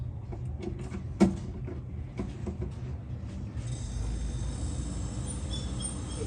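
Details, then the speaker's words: Refrigerator condenser fan, back panel removed: after clicks the fan spins up with a thin steady high squeal over the hum; owner suspects worn dry fan motor bearings, plans to grease them. "all right so I removed the backing of the fridge to expose the fan so this fan is squeaking all right"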